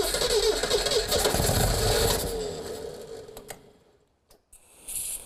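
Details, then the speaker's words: 1979 Lotus Esprit S3, first start during recommissioning with no coolant in it: engine cranks, catches quickly and runs with a steady, even beat for a couple of seconds before shutdown; oil pressure about 60, a clean start. "Yeah, we've got oil pressure."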